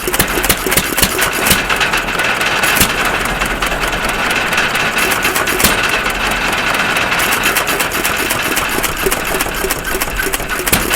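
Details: 1.5 HP Stover CT1 hit-and-miss engine, previously wouldn't run, now running after magneto snap and timing adjustments: uneven firing beats with coasting gaps and valve clatter, mostly misses, running properly.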